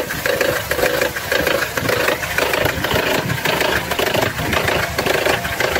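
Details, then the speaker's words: Petrol engine idling: uneven gurgling burbling pulses about two a second, seemingly from below rather than the top; suspected air-fuel mixture or ignition fault, not confirmed. "انا هذا حسب اعتقادي هو مشكله اع الخليط اع الهواء والبنزين او الكهرباء"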